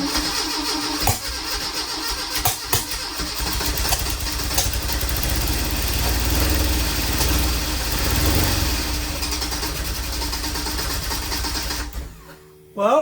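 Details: 1981 Fiat X1/9 converted from EFI to dual Weber carburetors, first start after long disassembly: cranks, catches and runs ragged with surging for several seconds, then quits; misfiring from spark plug wires on the wrong cylinders.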